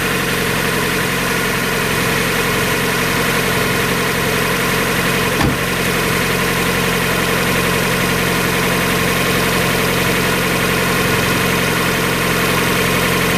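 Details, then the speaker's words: 1994 Mazda Miata, about 56,000 miles, after new timing belt, water pump, radiator, thermostat and hoses: steady even idle with no knocks, ticks or surging, running smoothly before cooling system bleed. "that radiator I think sounds better than it's ever done before"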